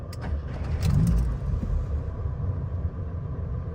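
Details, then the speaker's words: 1972 BMW 2000 Neue Klasse 2-litre, 4-door manual, fan whirring on a humid day: brief crank then catches quickly into low steady rumble; starts smartly hot or cold, needs a bit of choke cold. "Starts smartly, whether it's hot or cold. Needs a bit of choke when it's cold, but there we go."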